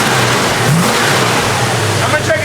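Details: 1970 Plymouth Duster 340 V8, run again after 30 years off the road, idle being set after an oil change: strong, even revving with a clean rise and fall; the earlier lifter tick is gone, likely a stuck lifter now pumped up.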